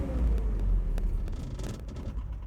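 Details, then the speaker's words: 1987 Nissan D21 Hardbody, fuel injected, in neutral: the low rumble sags and fades as the throttle is released and finds no steady idle; the engine runs only with gas held and dies at idle. "So you can hear it trying to idle and then it dies."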